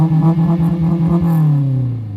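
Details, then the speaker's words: High-mileage AP2 Honda S2000 with unbranded aftermarket exhaust, first start after repair: raspy, pulsing low drone climbing with revs then settling; coarse, cheap-sounding exhaust judged worse than HKS. "Sounds like shit. Oh, you're being super critical, huh? HKS sounds better."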